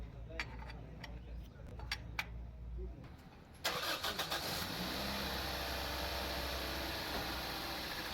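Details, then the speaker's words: 2015 Toyota Corolla GLI, 2NZ engine, previously noisy with tappet noise once hot, started after timing refitted, tappets adjusted and tappet cover installed: few clicks, quick crank and catch, smooth even idle without valvetrain tapping; normal start and idle. "जैसे ये स्टार्ट होगी इंशाल्लाह बिल्कुल स्मूथ होगा, आवाज़ नहीं होगा, बिल्कुल ओके हो जाएगी।"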